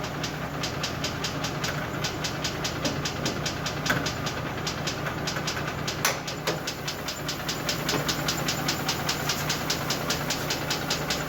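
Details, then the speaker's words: Mercedes G-Class with M104 3.2 petrol six, 220 hp, idling unevenly and shaking with a sharp, regular knock, about two to three a second; low compression in two cylinders, burnt piston in cylinder 1 found by endoscope, catalytic converter melted, knock cause unknown. "вот он трясется весь выбили катализатор был расплавленный полностью забитый аж выбила болты вот здесь резьба вырвана [музыка] что стучит тоже непонятно сейчас буду разбирать смотреть"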